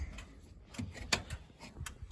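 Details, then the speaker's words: 1992 Ford F-250 7.3 diesel, 4WD 5-speed, supposedly rebuilt engine, stored since 2004 and run on two mismatched batteries; in neutral while cycling the glow plugs, engine off. Irregular light ticks and clicks; the owner is unsure whether it is the glow plug relay trying to engage. "Yeah, I don't know if that clicking is the glow plug relay trying to engage or what."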